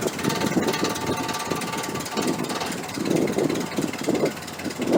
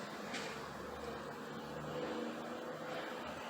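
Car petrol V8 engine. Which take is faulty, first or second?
second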